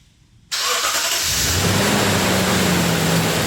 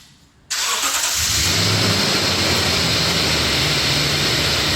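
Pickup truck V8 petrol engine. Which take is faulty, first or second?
second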